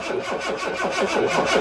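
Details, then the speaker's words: Car that stalled at traffic lights: the starter cranks steadily at about five beats a second but it never fires, with no fuel delivered from either the left or right tank. "you can see we're getting no fuel delivered to that um we get no fuel delivered to that pipe and if we switch over onto the other let's see nothing there's no fuel being delivered to the engine or from the left or the right"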